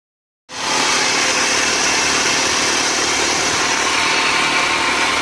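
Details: 1999 Honda Civic idling: loud steady high-pitched hiss and whir over a faint low rumble from a worn idler pulley bearing.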